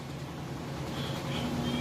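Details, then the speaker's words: Frigidaire stacked washer and electric dryer unit, washer with a couple of towels, nearly new, door locked: quiet, even hum slowly rising as the drum reaches full spin speed, no thumping or rocking; nice and stable, normal spin. "Sounds great. See, it's nice and stable."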